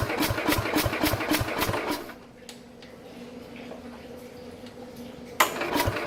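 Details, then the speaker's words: 1969 Bolens 850 Wisconsin S8D, unrun 3+ years, cranking on a battery charger with a little throttle and choke: regular cranking about 3.5 beats a second, a pause, then more. It turns over but never fires; the owner suspects too little compression. "Sounds like it's kind of trying to do something, but it's either got like so little compression in it that it can't properly fire or something. It's like it's trying to do something, but it can't."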